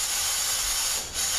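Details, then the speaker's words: Toyota U660E 6-speed automatic transmission with a delay into drive when hot, rear cover and C1/C2 drum air-checked on the bench: a steady, sharp hiss as air leaks past the seal between drum and cover instead of holding solid, confirmed as the cause of the delay. "crazy just leaking coming on a little bit but that is that is my delay 100%"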